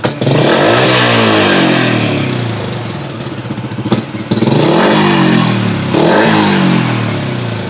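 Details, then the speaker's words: Honda Supra Fit X motorcycle after carburetor work and air-screw adjustment (set for highest idle): each throttle blip revs up cleanly and settles without stumbling or dying; slight lag on sharp blips but full response, normal. "Iya seluruh motor tuh kalo digas kejut yang enggak langsung respon Mas tapi kan nggak kosong ujungnya berisi ya"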